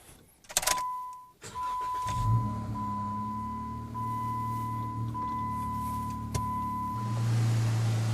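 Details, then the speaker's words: 2013 Jeep Wrangler Rubicon JKU just fitted with Optima YellowTop battery: whining starter, engine catches at about two seconds, settles into steady even idle; normal engine start. "Let's just start it up really quick and do a little victory start and see how it does."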